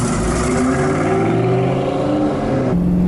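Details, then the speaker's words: 172K-mile 2004 Ford Mustang GT V8 accelerating gently: deep rising drone with a raspy edge from an exhaust leak, which does not affect performance. "getting on it slowly you hear that exhaust leak but it is not affecting the performance on this car one bit"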